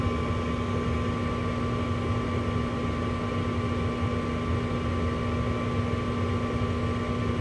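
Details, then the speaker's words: Lennox Merit Series G40 gas furnace, after igniter replacement: smooth, constant draft fan hum with a steady low tone, no rattles or surging; normal furnace operation. "so thermostat get going hopefully when it kicks on we hear the exhaust fan come on that igniter over there as well"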